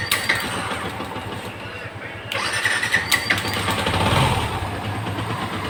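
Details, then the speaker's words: Yamaha FZS V2 with a no-start complaint and low compression (about 40%), still not fully restored after rocker adjustment: repeated weak self-start cranking before it barely catches and runs ragged, poor pickup; hard starting from low compression. "পরিপূর্ণ compressor এখনো পায় নাই যার কারণে বাইকটা অনেকবার self দিতে হচ্ছে স্টার্ট নিলেও পিকাপ একুরেট উঠতেছে না"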